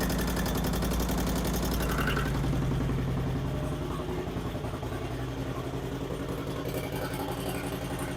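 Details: 2008 Harley-Davidson Street Glide, first start after Screamin' Eagle 255 cam install: quick light ticking over the loping V-twin idle; cause unknown, pushrod adjustments thought correct.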